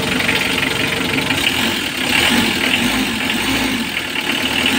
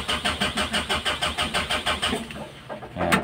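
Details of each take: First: 2015 Mitsubishi L300 diesel after fixing its morning hard starting by tightening the loose black wire at the glow plug heater module, charging at 14 V: an even idle with a light clatter and a slight rise and fall in speed. It sounds healthy. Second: 2015 Mitsubishi L300 diesel, hard starting every morning: glow plug indicator goes out immediately and the heater does not work; starter chugs for over two seconds without firing.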